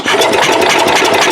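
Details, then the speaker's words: Cub Cadet 108 tractor after points were cleaned with brake cleaner; quick, even cranking that never fires; cranks but no start because there is no spark. "we're not getting any spark at all now i don't know if it's because of that brake clean or what now the points are working"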